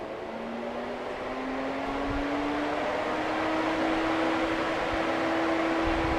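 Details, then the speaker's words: 2010 Lincoln MKX with overheating, fans commanded on via scan-tool test: steady whir rising gradually as fans spin up, smooth and even with no rubbing or ticking. "the battery's gonna go to on the fans it take a while to spin up"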